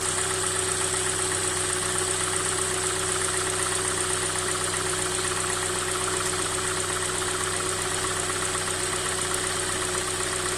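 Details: Hyundai i40 2016, 2.0 G4NA engine, first owner, 50,000 km, dealer-serviced with 5W30 oil; cold idle with a light quick ticking knock, two to three per second. Dealer called it a design feature; teardown found no fault. Cause unknown.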